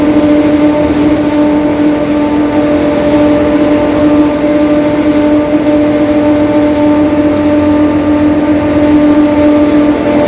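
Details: 2021 Marcopolo Torino S lengthened city bus on a Mercedes-Benz OF-1721 Bluetec 5 diesel chassis, recorded onboard. A steady low droning growl holds an even pitch under the cabin noise throughout: a growling rear differential.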